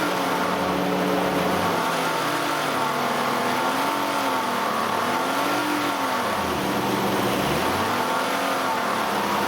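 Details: 2008 Nissan Elgrand E51 (ME51) 2.5L, about 90,000 km: with AC compressor engaged, revs swing with a droning tone following engine speed, starting around 2000–2500 rpm; about three years old problem, none when compressor off; source not pinned down.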